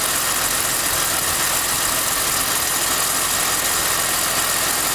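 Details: BMW E46 at idle: a thin, high whine with faint, quick chirps riding over the steady engine hum; whining and chirping at idle, source unconfirmed.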